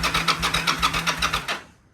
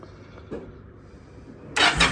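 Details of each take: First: Yamaha V Star motorcycle: the starter spins the engine evenly with no firing. The fuel pump gives no clicks at key-on and no fuel comes from the unplugged line, so the fuel pump is dead; crank, no start. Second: Yamaha V Star twin that had been dying after a few minutes, after replacing its failing fuel pump: a short crank, then it catches immediately and settles into a steady, loping idle with no misses or knocks. Normal start and idle.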